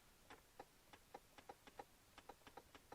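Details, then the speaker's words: 2003 Chevy Monte Carlo SS sunroof, driver's side switch pressed to open: faint dry clicks, about four a second, as it tries to engage but never opens; it may go down but not up; owner suspects the switch. "Hard time going up from the driver's side switch. I might have to switch take the switch out. I can hear it trying to engage, but nothing might be my switch."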